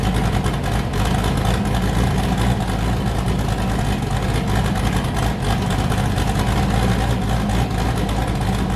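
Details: Boosted V8 with a new cam, fired up after a repair and before warm-up; it had earlier hit 23 psi and blown a coupler. A deep, loping idle with a steady, choppy rhythm on all cylinders: a normal idle with an aggressive cam.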